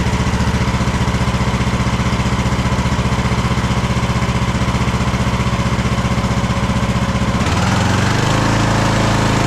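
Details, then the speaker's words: Craftsman DLT3000 lawn tractor engine, jump-started, oil level full: uneven, lumpy thumping at fast idle, surging and shifting pitch. It is running rough and backfiring through the carb, among its carburettor problems. "Wow. It's uh backfiring through the carb right now. So, uh that's not a good sign."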